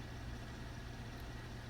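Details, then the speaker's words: 2013 Cadillac CTS 3.0L V6 after regapping all spark plugs to .043 and resetting battery: steady, even idle with no misfire, fluctuation or engine light; rough idle fixed. "okay see now no engine light smooth idle no more fluctuation had to uh adjust the gap on the um on all the plugs they were way out out of whack"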